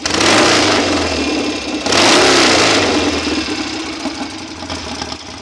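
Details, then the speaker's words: BSA A65 Hornet twin, pilot and needle jets replaced, carbs and plug leads swapped, new plugs: strong acceleration, but two sharp blips show ragged hesitation on the right side on first throttle opening after ticking over. Overly thick fibre jet-holder washers were found. "it pulls really well good strong acceleration on it but still got that hesitation on this side the first initial drott opening after it's been scking over for a while"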